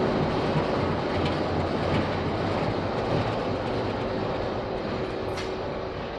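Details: Passing train with a rumble and uneven clacks, plus loud, sharp snapping cracks at about three per second; the source of the cracking is unknown.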